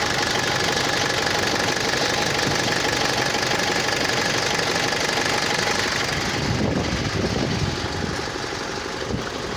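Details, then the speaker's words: Mitsubishi L200 Triton diesel with hard, rapid knock at idle, about four a second, resembling an injector fault; idle fuel rail pressure far too high (about 1,200 bar, 116-117 MPa); injection module fault suspected. "ele tá com castanhado muito forte no motor dando a impressão que pode ser bico injetor a e tá trabalhando com uma pressão de combustível na marcha lenta muito alta"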